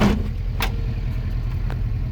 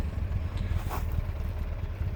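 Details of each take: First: 1967 Alfa Romeo Giulia Super with a newly installed 1600 Nord twin-cam engine, warm after a country drive: steady low burble at a slightly brisk, even idle with no misses; idle speed a little high, to be adjusted. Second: 1967 Alfa Romeo Giulia Super with newly installed 1600 Nord four-cylinder, original-style air filter: fires up quickly into a soft, steady, even idle with no knocks, thermatic fan running; normal idle.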